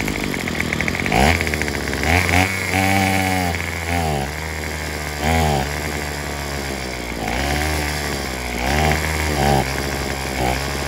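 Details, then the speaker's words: Craftsman WS210 weed eater after carburetor replacement, with the old primer bulb and diaphragm moved onto the new carb: revs surge and sag in uneven bursts, never settling at idle or holding full speed. Cause unclear. "we've got the weed eater running except it won't throttle all the way up so I'm not sure what's going on with that thank you uh so now it won't idle and it won't go full"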